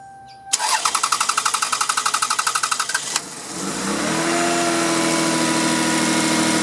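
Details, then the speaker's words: Car with 230,000 miles started right after fuel filter replacement (earlier throttle body, IAC and MAF cleaned for idle problem): steady cranking about four turns a second for 2.5 seconds, then catches into an even, smooth idle; normal start. "This is a great car, great engine, 230,000 miles on it. Runs like a top other than the problem I told you about."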